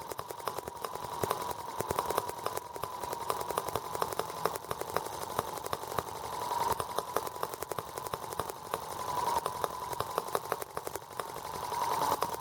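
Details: R18 model engine first start with warranty replacement Hall sensor harness, ignition now sparking properly: small engine chatters on a thin high buzz with ragged, uneven firing and stumbling surges; runs rough with new balance issues.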